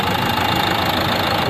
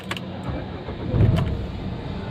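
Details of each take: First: Renault Duster 110 PS diesel, mornings: sharp metallic tak-tak injector knock fast and even over idle, with white smoke; no check light, customer already fitted a new part, problem persists; diesel injector knock. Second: Renault Duster 110 PS diesel after injector coding and calibration via scan tool: engine catches and settles into a low, even rumble without the earlier tractor-like tak-tak injector knocking; start-up now smooth, no fault codes before or after.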